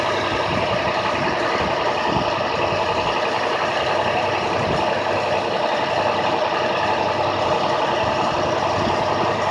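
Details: 2006 IC CE handicap bus, diesel engine at high idle: a steady, even drone held at raised idle throughout, no knocks or misses; running normally.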